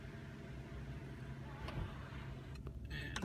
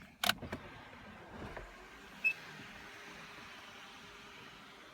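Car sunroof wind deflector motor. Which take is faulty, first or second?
first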